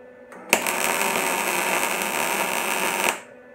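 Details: MIG weld after wire feed speed was turned up from too slow (popping, burning back into the tip): steady, even crackling sizzle like frying bacon, correct wire speed.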